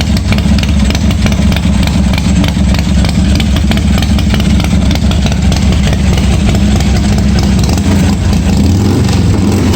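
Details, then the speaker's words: 1986 Harley-Davidson Softail first start after wiring repair, gas added: deep uneven V-twin lope at steady idle, loud exhaust thump, no knocking or rattling; runs fine, oil pressure not checked. "kill button works well looks like it started so i didn't check the oil pressure or anything"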